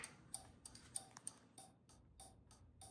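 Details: Factory Five coupe with no engine, dash powered from the car battery during wiring tests, turn signal switched to left: crisp, evenly spaced relay clicks about three a second in a quiet room; normal turn signal flasher operation.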